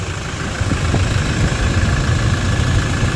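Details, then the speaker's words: Toyota Innova 2.8 diesel idling steady and smooth after replacing noisy alternator pulley/alternator and drive belt; pulley clatter gone, no squeal, rattle or whine, though battery warning light still on. "Ayan, okay na mga paps ano, nawala na nga yung ingay tsaka smooth na yung pinakatakbo nung makina."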